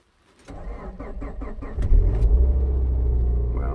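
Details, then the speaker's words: 2010 Subaru Forester 2.5 with a JDM replacement engine and a cold crank/no-start complaint below −12 °C, no codes, coolant here at −6 °C. A short even crank, then a clean catch and steady idle; the fault did not appear. A new starter later fixed it. "maybe it's warm enough today not to act up as you could hear it started perfectly fine"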